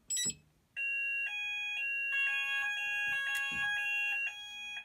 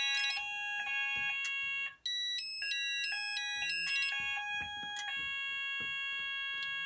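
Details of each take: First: Haes Vector addressable fire alarm panel on evacuate: several high-pitched pulsing sounders start at different moments and overlap, patterns never lining up; sounders out of sync. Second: Haes Vector addressable fire alarm panel after silence then immediate re-evacuate: loud stepped high-pitched tone patterns running steadily together for over ten seconds; sounders now in sync.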